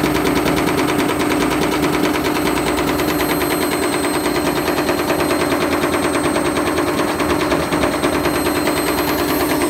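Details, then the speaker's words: Candy Grand'O Vita GVCD91CBB tumble dryer fitted with a hot-wired universal washing machine motor: fast relentless rattling bangs over loud whirring spin; overspeeding drum bashing around, cutting the white seal pieces off the plastic front. "you could hear it bashing around and it seems to be tearing some plastic off there"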